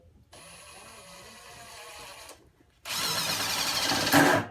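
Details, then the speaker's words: Stealth Force Gen5x impact driver at speed 3 driving 2-inch T25 Torx screws: light motor whir, then loud steady hammering as the screw drives home, impacting slower but harder than typical impacts; normal operation. "So now, so you can really hear the way it impacts. It's a lot different than your traditional impacts, and it actually impacts slower but harder, if that makes any sense."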